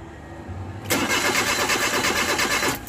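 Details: Suzuki Multicab K6A: starter churns engine about two seconds with steady cranking beat but never fires; cranks without starting, cause not confirmed.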